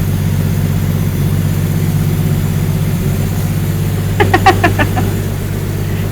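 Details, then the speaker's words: 1954 Willys Jeep truck flathead after valve-train work for sticking valves and refitting the coil wire: low, even rumble with a steady beat, no misses or knocks; smooth idle, though the engine smokes. "are we sound better now it does sound better that sounds really [Music] good wow that thing's idling really smooth and everything she impr"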